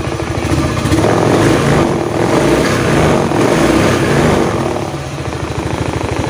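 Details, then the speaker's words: Honda Beat FI eSP after replacing the worn connecting-rod big-end bearing that caused a humming drone: smooth, even run with a steady low hum and no droning or whirring from the crank; back to normal. "Oke teman-teman jadi suara sudahah normal ya jadi penyebab tadi bunyi denggung itu kelahar askrknya yang minta ganti itu saya ganti"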